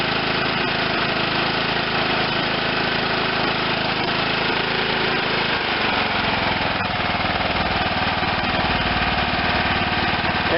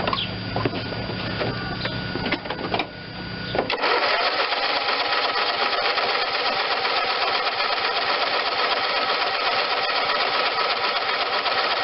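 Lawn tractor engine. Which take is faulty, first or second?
second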